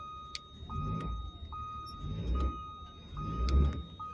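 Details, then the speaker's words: Caterpillar turbo diesel in a 2000 Harney Coach RV idling very cold, grid heater still on, water temp under 100: thin steady whistle, possibly turbo, over a lumpy idle with soft surges; nothing sounds wrong. "Water temp 100. Actually, it's less than that. So yeah, she's cold. Very, very cold."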